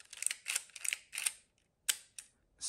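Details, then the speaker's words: Konica IIIA 35mm rangefinder leaf shutter at 1/500 second with booster spring: short crisp ticks in quick separate bursts, light and quiet with no drag or hesitation; a healthy leaf shutter. "super fast it moves i can assure you it actually moves"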